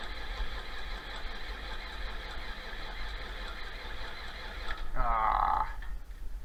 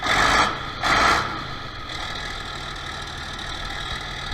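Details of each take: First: 1966 John Deere 4020 diesel after an injection pump install, with fuel reaching all injectors: steady starter cranking that never fires. The injection pump is timed 180 degrees out. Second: 1966 John Deere 4020 diesel tractor after injection pump replacement and a top-dead-center timing issue, started with ether: a couple of rough surges, then a steady, even diesel run with no knocks or misses; runs again.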